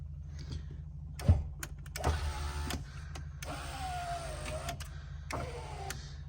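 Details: 1989 Land Rover Discovery V8 power window motor, previously seized from lack of use: three short, smooth electric whirs with steady pitch, no grinding or binding; normal operation.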